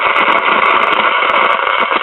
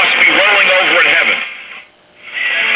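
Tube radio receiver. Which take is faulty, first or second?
first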